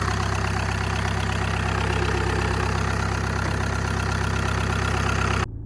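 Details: 2014 VW Passat TDI diesel that had been leaking coolant, cold morning idle with some coolant air working out: deep, steady idle with an even low rumble, no knocks or misses; healthy.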